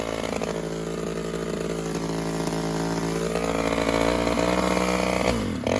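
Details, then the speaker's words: 1986 Homelite chainsaw, untouched apart from new pull cords, started on choke then half choke: uneven, burbling two-stroke idle that loads up and wavers; idle mixture a little rich, to be adjusted. "a little rich on idle we'll adjust that"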